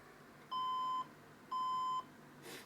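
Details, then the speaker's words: HP Compaq 6200 desktop that would not power on: two steady, clear beeps after a CMOS reset and unplugging the power cable, said to mean it will turn back on; fix not confirmed. "those two beeps are very important okay when you hear the beeps it means it's going to turn back on"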